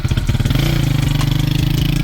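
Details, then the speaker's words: Motorcycle after new wheel and sprocket bearings were fitted, engine started: steady even single-cylinder beat, clean low rumble with no grinding underneath; bearings sound healthy. "Yeah people, so new bearings, starting up his sprocket, both them, I mean now hear the sound again"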